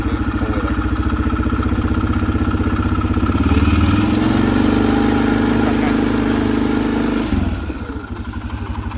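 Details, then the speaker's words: Mud Pro whose belt has a chunk missing, revving with the cover off: engine revs up, holds and drops back with no slap, squeal or clatter from the belt drive, normal running. "That's crazy, but she sounds good."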